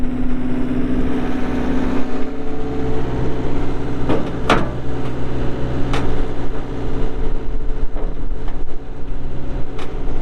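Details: 2020 Mustang 2150RT skid steer, 72 HP Yanmar diesel, 2,351 hours: deep, steady diesel rumble at idle with a few sharp clanks from the machine itself, running evenly without misses; normal idle.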